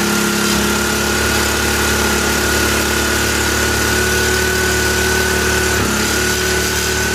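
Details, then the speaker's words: 1965 Honda E300 generator, single-cylinder, after restoring spark with no-spark fault, steady even beat with faint high whine, running only on choke, throttle slowed; carburetor work suspected needed. "Now we gotta get it to run. Might need some carb work."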